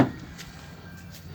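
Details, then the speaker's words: Mitsubishi Pajero door after applying Waxpol AP3 multipurpose grease to the hinges, previously squeaking: soft latch thump then quiet swing with no squeak or creak. "So there was door noise and I applied Waxpol grease so to all the doors, and now there is no noise. If you see, I'll open the door. You see there is no noise."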